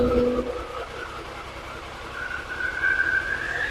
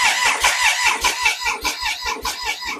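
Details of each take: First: Triumph Sprint 955i, a 1000cc bike left non-running and neglected for years, starts after fuel pump now primes and fuel returns; engine catches, revs then settles to a steady even run, running properly, fault codes cleared. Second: Triumph Sprint 955i non-runner neglected for years, fuel pump not heard priming, no fuel: steady starter cranking about two and a half beats per second, never catches; cranks but won't start, fuel pump to be tested.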